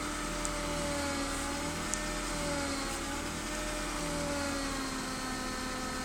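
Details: BMW E36 320i with new MAPCO power steering pump, fluid changed several times: steady high whine over a smooth idle, increasing during steering; cause still unknown.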